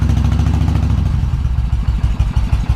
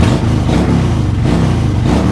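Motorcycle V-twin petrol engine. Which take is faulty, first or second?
second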